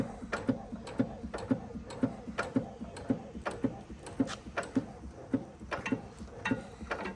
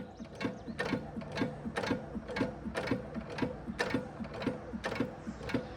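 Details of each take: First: 5 HP Sattley hit-and-miss engine after governor shimming: slight rod knock and pushrod slap, then steady sharp ticking about twice a second that grows louder with fuel. A thrown adjuster pad was suspected but the pad was still there. Governor slap. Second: 5 HP Sattley hit-and-miss engine after fitting a lighter push rod return spring: crisp, sharp firing about two per second with light cam clatter between; clean, slow, healthy idle.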